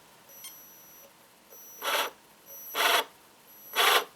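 Thin, steady high-pitched whine at very light throttle, broken by three short whirring bursts as the drive moves.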